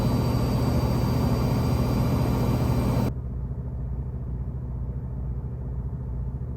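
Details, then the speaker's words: Washing machine running normally before fitting anti-vibration pads, recorded in the room directly underneath: steady deep hum and rumble carried through the floor, then a quieter low drone, about 62–63 dB; normal washer vibration. "Alright, so we have about 63, 62 decibels. And you can hear it right through the floor."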